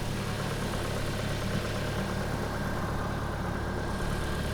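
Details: Ford Focus Mk1 or MG ZR after a roadside fix, battery warning light now off; engine catches and settles into a steady, even idle with a smooth low hum and no belt squeal or chirp; normal idle.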